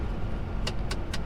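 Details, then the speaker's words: Truck descending a long gentle downhill grade on a Turkish road toward Istanbul, slowed by the engine retarder instead of service brakes; low steady rumble with quick sharp clicks about a quarter second apart, normal retarder clicking. "so I can manage breaking without using my main braking system I'm just slowing down with uh retarder yeah with engine"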